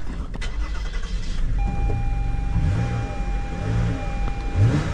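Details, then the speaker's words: 2018 Toyota Sienna with replacement engine, crank-no-start diagnosis: engine catches and runs with an uneven, lumpy low beat, misfiring and not smooth; permanent codes for coils A, B, C and engine coolant temp sensor 1 circuit high; looks like a bad ground. "All right. Now, it's running, but it's misfiring. It's not running smooth."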